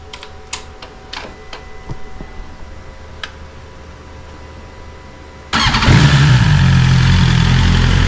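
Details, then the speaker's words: BMW S1000RR on its stock exhaust, already warm, with the exhaust butterfly valve stuck open after the actuator cables were disconnected. A few clicks, then it fires into a loud, deep, even idle with a deeper growl. "Already had it running, so it's got a deeper growl to it with the valve just open."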